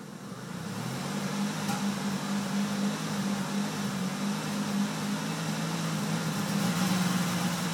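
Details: 1998 Dodge Caravan 3.3L flex fuel held at steady 2,500 rpm once warm (after 10-15 min), misfiring, backfiring and cutting out with an uneven, wavering drone; caused by a damaged flex plate, fixed by flex plate and cam sensor repair.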